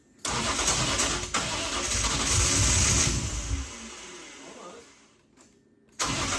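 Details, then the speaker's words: BMW E36 328ti Compact, first start after fixing a painted-over ground that cut power: starter whirs briefly, engine catches with steady even rumble dropping to a calm idle; starts and sounds good, check engine light flashing. "well it starts so that's a good thing"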